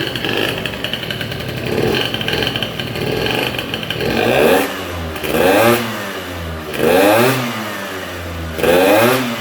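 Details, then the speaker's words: Ludix 50cc two-stroke with Athena racing kit and 24 PWK carb, open intake with air box removed, cold, brand new, oil pump blocked: sharp repeated revs that drop back to a steady idle; normal idle return. "bon voilà le ralentir descend bien il se cale bien"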